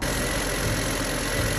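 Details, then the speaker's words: 2009 BMW 535i after Vanos solenoid replacement: smooth, steady idle with no misses, ticks or hunting; engine running clean. "So with the Vanos solenoids being replaced, it sounds to be idling pretty nice and clean now. It's a nice and steady idler."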